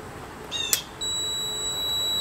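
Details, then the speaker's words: Meter on audible diode/continuity check across the overload protector of a used compressor salvaged for a DIY refrigerant recovery system: a steady high beep starts about a second in and holds, showing the overload protector is closed (good). "I don't know if you can see that flashing or hear that tone but that is closed so that that is good"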